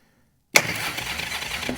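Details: Motorcycle being revived, cranked with key in second position (running lights on) to confirm spark; sudden strong crank settling into steady churn, no grinding or clicking, spark present; normal starter cranking.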